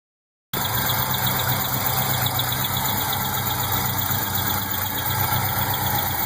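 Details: LS1 V8 in a GTO at idle: fast high-pitched chirp, about four per second, from the top end, loudest directly on top of the intake manifold.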